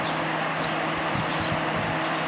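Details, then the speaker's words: Vintage Kenmore (likely Whirlpool-made) dehumidifier with Embraco reciprocating compressor, previously seized fan motor now running with cover off: steady even whir with soft airy rush, no scraping or knocking; fan runs free, though unit later found low on refrigerant. "all right let's try it now oh that motor still works"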